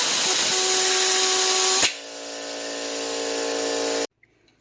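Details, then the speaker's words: Hitachi NV45AB2 roofing nailer with a faulty trigger assembly: loud constant air hiss with a faint whistle when the trigger is pushed, dipping then hissing steadily until cut off; trigger valve leaking air. "they all had something up with the trigger that when you push on it, it would just hiss air at you."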